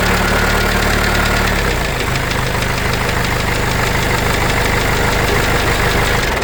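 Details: Case 586E Cummins 4BT diesel after teardown: rough idle with uneven rap three to four per second continuing after restart; knock still present, cause unknown.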